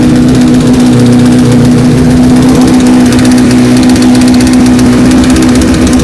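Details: 2007 Honda CBR1000RR Fireblade with an undiagnosed engine noise, started on a jump pack: rough, busy idle with light metallic chatter; owner suspects cam chain tensioner or worse, not confirmed.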